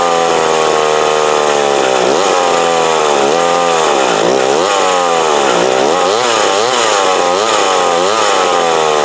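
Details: McCulloch Mac 120 chainsaw, older saw, after carb adjustment screw tuning; buzzy two-stroke howl rises and dips repeatedly as the throttle is worked, picking up cleanly each time, running decently, may still need a slight tweak.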